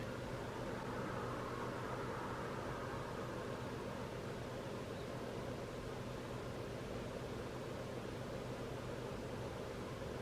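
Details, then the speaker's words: Harvard H-407 radio during FM detector alignment, with a 1 microvolt signal-generator input: a steady heavy hiss with faint, buried audio. Noisy weak-signal reception before alignment. "so i'm going to go through these to try and get that spot on it doesn't sound the best but we'll see if we can can improve things"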